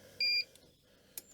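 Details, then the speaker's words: Bosch Series 4 heat pump dryer that ran for hours without drying, after the fix, running with body panels off; a single clean high-pitched beep about a fifth of a second long at program start; normal signal, and the clothes later came out dry. "we got a beep there we go"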